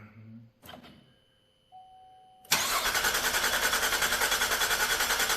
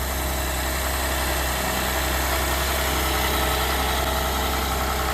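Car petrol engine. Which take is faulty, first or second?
first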